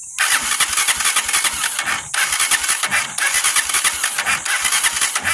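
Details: Honda TMX 125 motorcycle with a history of hard starting, cranking on the starter at about three uneven beats a second and never catching; very weak spark at the plug wire, stator primary (black-with-red wire) being tested for spark.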